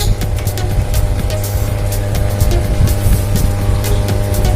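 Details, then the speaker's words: JMK amplifier, previously modified (transformer, messy wiring): loud steady low mains hum in output. "Sebuah ampli ini mengeluarkan suara berdengung, kata pemiliknya. Nah, bisa sahabat dengar. Di sini memang ada mengeluarkan suara dengungan."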